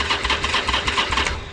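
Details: Harley-Davidson Iron 883 Sportster, unstarted for about 6 months, fuel pump primed: starter chugs in quick, labored pulses, about eight a second, fading without firing; no start from a weak battery, later swapped for a charged one.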